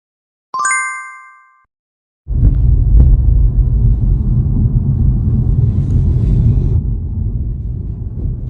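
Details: BMW G20 2022 cabin after repair of a squeak near the sunroof, caused by worn plastic headliner clips with play and friction: brief chime, then steady low road rumble with no squeak or creak.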